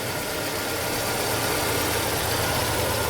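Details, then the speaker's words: Fiat Palio petrol engine idling smoothly after timing belt replacement (new Daico belt, new cover), around 99,600 km: no ticking, slapping or whining from the belt area, zero noise, normal idle. "Aí. Zero barulho."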